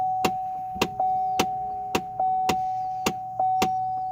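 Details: Chevy Trailblazer/GMC Envoy with air only from the windshield vents; sharp clicks about once a second repeat from under the dash over a quiet idle; cause confirmed as a faulty HVAC blend door actuator under the dashboard.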